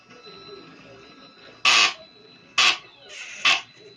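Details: HEQ5 SynScan telescope mount while slewing: three short, harsh nasal "duck quack" noises about a second apart over the quiet motor whirr, a typical abnormal drive noise of unknown cause.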